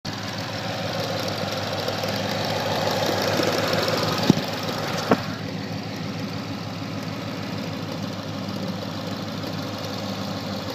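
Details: 2013 Mustang 5.0 at idle with light, quick, irregular popcorn-like ticking and a couple of sharper snaps; engine ticking noise, source undetermined.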